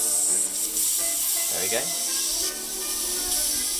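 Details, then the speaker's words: Vintage Primus paraffin/kerosene camping stove being shut off by turning the tap anticlockwise to depressurize it: a loud, steady high hiss as pressure bleeds off and the flames go out; normal depressurization on shutdown. "so all I do is turn it anti-clockwise you'll hear it hiss and the flames will go out"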